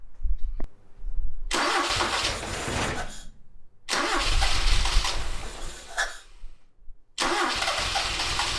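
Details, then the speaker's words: 1976 Toyota Celica RA23 barn find, engine reportedly rebuilt 5–10,000 km before sitting for years: repeated start attempts catch, run rough and uneven, stumble and die; firing on perhaps 2 cylinders, owner suspects firing order. "Okay, so after all that, I don't think it's definitely not firing on, I don't think even 3 cylinders. I'd be lucky to have 2 at the moment. I feel like it's the firing order, but I was very careful not to move those plugs."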